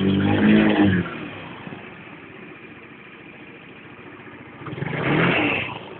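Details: Engine won't rev up at full throttle; unidentified high-pitched tocking at low rpm or accelerating from low rpm: revs climb, fall back, rise again with light tick at low speed; won't rev out cleanly.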